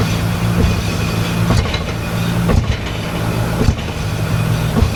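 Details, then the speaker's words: 1986 Nissan 300ZX, flooded by salt water in a hurricane, engine running and put in gear: dull heavy thumps about once a second over a low drivetrain drone as the loose rear diff bounces; a broken mount is suspected. "Okay, so when you do that, your whole rear diff kind of bounces. And it's like the support for the rear diff is moving, like there's something loose."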